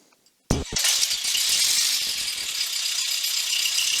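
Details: Aircraft intercom and radio heard through the headset after a screen-earthing fix; a sharp click, then the engine catches into a steady rushing roar with no whine or buzz on the audio: clean intercom audio, noise fixed.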